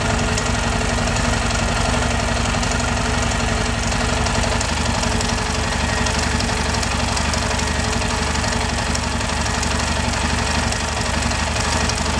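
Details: Yamaha Ténéré single-cylinder idling with a strange engine noise: uneven light knock about three per second; engine knocking, cause unclear.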